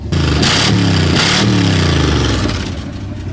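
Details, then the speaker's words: 1970s Dodge Adventurer 1-ton crew cab dually 4x4, revived after 10 years sitting and jump-started: hard revs come out raw, very loud and clattery; owner thinks the muffler fell off. "I think the muffler fell off."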